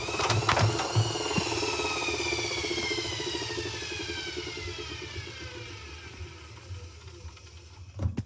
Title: Hoover dymanic next 7kg | a problem while spinning the drum. Making popping noises?